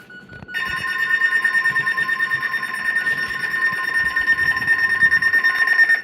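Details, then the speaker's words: RadioShack TRC-519 weather radio, repaired by re-soldering its power wires, with a faulty speaker and heard through headphones: a loud, steady high-pitched alert tone with a slight warble for about five seconds, then cut off. The alert tone works normally. "So that's what the alert tone on this sounds like."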